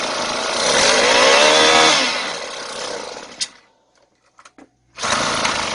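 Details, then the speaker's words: Two-stroke chainsaw with the choke left closed after starting: screams at high revs, sags unevenly and cuts out before catching again; air path closed makes the mixture too rich, so the engine stalls. "Vì cuộn cảm không được hạ xuống, động cơ bắt đầu tắt mà không có điện. Đôi khi bạn nghĩ rằng nó bị hỏng Đòn bẩy này là nguyên nhân."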